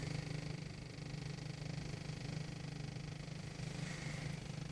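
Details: 1.8 TSI car at cold idle, mic inside the cabin near the passenger seat and glovebox; low idle with a fast, faint buzzy rattle, heard only in the cabin, gone when warm or with light throttle, no error codes; source unknown.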